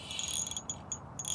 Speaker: there is some noise there is some noise here from the line I don't know if it's from my Soiree XR Rio or this line is dirty or something Freight but I hear this scratching noise when the line is going through the guides